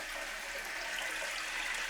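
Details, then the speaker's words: Leaky toilet after fitting a new flapper: smooth steady hiss as the tank refills, listened to for water rushing past the flapper; no trickle or rushing, the flapper seals and the refill is normal. "so as the tank is filling up what I'm letting it do is get complete so I can stop hearing the noise of it refilling what I'm listening for is water rushing past the flapper"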